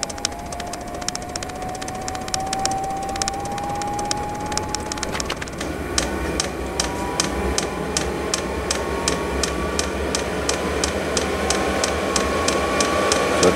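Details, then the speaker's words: Vevor 5kW diesel heater powered from the DC side of a Bluetti EB3A at startup, drawing up to about 9.5–10 A: crisp fuel-pump ticking about three per second over a fan whir that climbs in pitch; normal startup. "as the heater starts up you'll hear the fuel pump get going and then it will drop significantly so there's the fuel pump"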